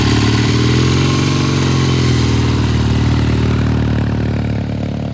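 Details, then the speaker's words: 1972 Triumph TR6 motorcycle, cold start on kickstart after front sprocket replacement: twin idles unevenly, stumbling and fading, breaking up; rough cold running, slow to warm up, pilot jet suspected, not confirmed. "that's breaking up pretty good there all right that sounds pretty bad I'm going to check the pilot jet when it comes back"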